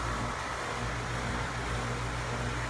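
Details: Straight Cool air conditioning condensing unit after a clean, check and tune: a steady, even low hum with a constant fan whoosh and no knocks or scraping. It runs smoothly.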